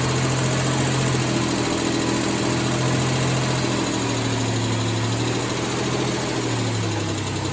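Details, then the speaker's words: Freshly rebuilt, reinstalled 1989 Mitsubishi Montero (Gen 1) engine, idling fairly smooth after distributor timing adjustment. A quick light tick, about three per second, rides over the hum; the engine was torn apart again. "So in that last video, you might have heard it running, and I got it running fairly smooth. However, it had a gnarly ticking noise, which, if you know my past experience with Montero motors and rebuilt ones, obviously made me very nervous."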